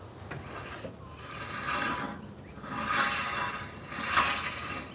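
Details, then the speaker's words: LDV Deliver 9 courier van: harsh rasping brake grind swelling about once a second with wheel rotation; pads probably worn down to the metal, metal on metal inside, rotor cooked. "As you can see, it's probably going down to the metal."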